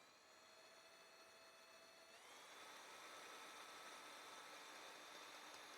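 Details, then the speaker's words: Astro Rivet Nut Drill Adapter XL, fully extended in a vise: steady drill whir with quick, even ratcheting clicks about four a second as the clutch slips at the end of travel, which is normal. "you can hear going click click click you know you're at the end there"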